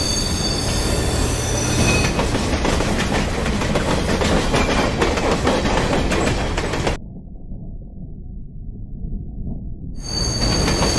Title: LOUD SCREECHING NOISE ON THE FINN METRO SUBWAY!